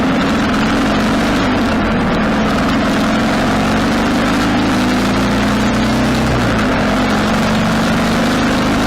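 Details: 1995 Harley Sportster 1200 after carburetor rebuild, road ride through all gears: pulls cleanly, pitch rising and dropping with shifts, no popping on throttle close; formerly died at idle and backfired through the carb.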